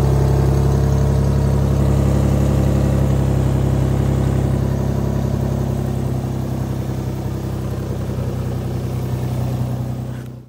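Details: Chrysler 300 3.5 V6 after timing belt, tensioner, pulley and water pump replacement (belt had skipped a tooth, code P0016), test start to check timing: smooth, even idle with no ticking, rattle or stumble; normal idle.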